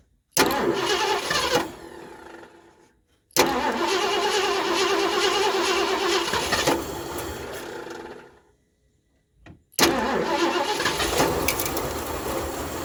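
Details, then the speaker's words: 1978 Mercury Marquis Brougham 400 parts car, sat roughly 8–10+ years: repeated steady starter cranking with no catch despite starting fluid; the hose off the fuel filter shows no fuel, so a fuel pump is suspected. Cranks but no start. "this thing is it's not going to run it's going to have to have a fuel pump well I pulled this hose off the fuel filter too and it's got absolutely no fuel in it so we're not picking up any fuel"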